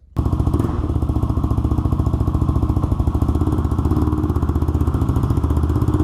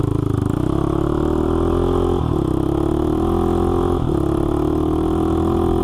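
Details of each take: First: Honda 400EX single-cylinder ATV after crankshaft replacement for a locked-up engine, on a test ride; sharp, chattering bark with a crisp puff each firing from a broken exhaust header leaking pretty badly, audible while riding; new header needed. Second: Honda 400EX quad revived after locking up, oil pump replaced and system primed, started by jumping the solenoid with pliers: a steady single-cylinder idle with clean blips, though the header leaks; normal running.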